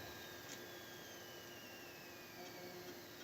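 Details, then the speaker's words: Macintosh LC III at power-on with monitor switched on: thin high whine slowly sliding down in pitch over a quiet steady electrical hum. "Oh yeah got to turn on the monitor you will hear this whining"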